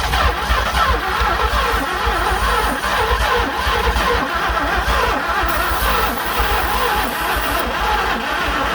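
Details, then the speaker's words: 1967 Thunderbird 428 V8 sitting about 30 years, jump-started from another battery while throttle worked; starter cranks weak and dragging with low thumps, speed sagging, no firing; owner suspects dead battery after starter got hot; slow cranking. "Jeez, that didn't do anything. What's going on? Is this battery dead now?"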